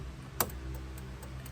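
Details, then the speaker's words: 1987 Chevrolet Monte Carlo, right turn signal on: dry ticking about four a second, about twice normal rate, left side also flashing alongside right. Turn signal hyperflash. "look at the look at the cot it's going crazy and that's the right side and you come over here and the lights are flashing on the left side still but it's actually flashing on the right side too"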